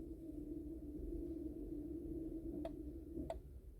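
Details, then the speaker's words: Mazda electronic parking brake service mode for pad replacement, ignition on: caliper motors hum steadily for a couple of seconds then stop with clicks; normal retraction. "i'm going to put this back on and now your caliper is going to hear them winding back"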